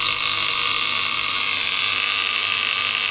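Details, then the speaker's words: Antique Violet Ray machine (doctors' high-voltage device, mains powered), cover off: steady harsh high-pitched buzz of trembler contact with threaded adjuster, coil and what seems a capacitor; chattering evenly, normal operation. "you've got like a a trembler arrangement in that as you can see it but the contact is moved in and out by this threaded part"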